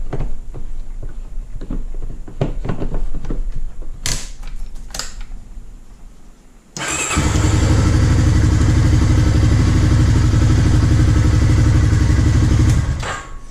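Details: Honda Rancher ATV (stated as 2000 Rancher 350 and as 2004 Rancher 400) that would not crank with solenoid clicking, after starter replacement: clicks, then it cranks, catches at once and settles to a steady, even idle; normal start after repair.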